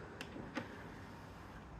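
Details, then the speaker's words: Sony CD changer after replacing the drive belts and cleaning the pulleys: on power-up the carousel spins, counts and checks for a disc, then two light clicks and a soft, even motor whir as the tray slides out normally. "so you can see the table is spinning it counts it tries to figure out if there's a disc so let's go ahead and open this"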